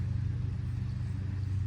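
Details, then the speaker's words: Removed rear wheel bearing hub from a Passat, spun by hand: low uneven rumble, rough rolling of a worn bearing; passenger rear also sounds a little bad, owner may replace it later. "You can hear it's a little bad on this side too. I don't know if I'm gonna replace the passenger back, but you can hear it's a little bad."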